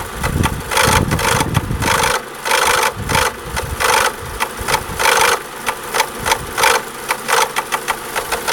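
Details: Renault Laguna II 1.8 16V, engine F4P 770: sharp, busy irregular but constant tapping over low idle, first suspected a tappet but due to a faulty cam dephaser.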